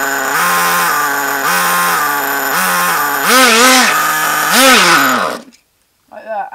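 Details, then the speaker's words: RC nitro car engine: high, fast idle screaming even at the lowest controller setting, dropping somewhat with brake applied but still too fast before cutting out; owner unsure which screw to tune. "um so yeah as you can hear it's very very fast um I'll put it on again and show you when I put the brake on it still goes too fast but it goes down to a suitable speed"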